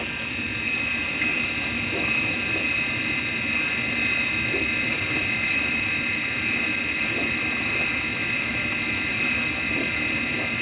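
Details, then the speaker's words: Midea dishwasher wash motor that had seized, now running after repair and greasing: steady high-pitched whine with a rough hiss from a worn motor bearing; bearing replacement may be needed. "yes it is working but problem you know you can hear the noise the bearing noise already"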